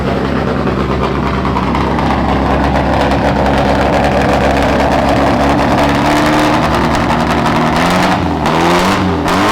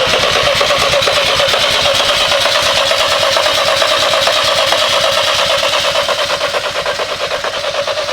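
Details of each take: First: Volkswagen–BMW engine swap, first start-up, smoking: loud, uneven, lumpy running with a ragged beat that steadies slightly as it burns off a lot of oil in the cylinders. Rough running from oil. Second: BMW engine swapped into a Volkswagen, first start attempt after correcting the starter trigger wiring: even starter whirr with quick regular compression beats for about eight seconds, then it winds down; cranks freely but does not fire.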